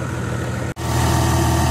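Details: John Deere 2054D excavator diesel idling after swing motor replacement and hydraulic oil top-up: steady, even low diesel rumble with no knocks, squeals or uneven beats; idling smoothly and healthy.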